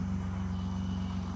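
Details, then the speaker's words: BMW E28 with the M30 engine at its first cold start after a valve adjustment. Even, low idle with a steady pulse and no top-end ticking; the valvetrain now sounds much quieter and healthy. "Wow. I don't think I screwed it up. It is heaps quieter."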